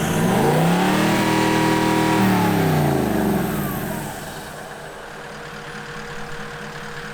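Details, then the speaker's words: Reference sound of a VDJ (Toyota) exhaust played before the FJ49 build's engineering noise test: engine revs up, holds a steady high note, settles to smooth even idle; healthy, nothing abnormal. "Show everybody what's the sound that we're going for. That's the sound of a VDJ."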